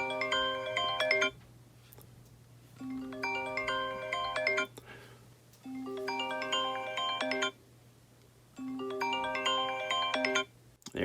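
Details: iPhone XR after cleaning clogged earpiece grill that had caused buzzing: bright chiming ringtone plays four times through the earpiece, clear with no buzz or rattle.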